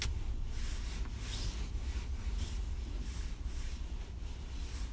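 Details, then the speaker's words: 2016 UAZ Patriot driving after lubricating the driver's seat back friction points with spray: only a low, steady road rumble with no creak or squeak from the seat; the seat squeak is fixed. "практически нет никаких посторонних звуков в принципе поставленная задача выполнена"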